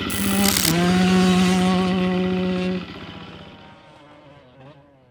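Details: 2024 Gas Gas MC250F after top end (Vertex piston), new starter idler gear and rebuilt starter with loose brush bolt fixed: fires straight away into clean steady buzzing run, no rattle or knock, winds down smoothly; normal start and run.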